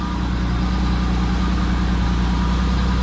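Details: BMW E12 after fuel tank cleaning and new pump and filter, tank low on fuel: smooth, even idle with a steady low beat and no misses; revs still drop slightly when revved, fuel pressure unchanged; fuel cutting issue later confirmed gone.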